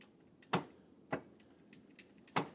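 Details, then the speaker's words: 2002 BMW E46 with shot battery on a charger, broken central lock switch held together and pressed: three unevenly spaced dry relay-and-latch clacks, door never releases; faulty switch, actuator trying to unlock. "And if I do the same thing with the central lock button, you can hear the relays and you can hear it want to try and unlock."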